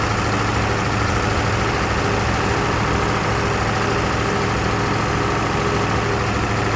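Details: Massey Ferguson 1800 diesel tractor, already warmed up, restarted after fuel filter work: steady, even chug at idle, no misses, surging or stumbling; runs smoothly and holds idle.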